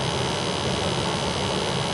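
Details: New Ruud 80+ gas furnace at startup after combustion test: gas pressure about 4, oxygen around 6%, stack temperature within 275–500, CO2 and ppm in range; even, steady rushing roar with no pulsing, rattle or flutter; normal burner operation.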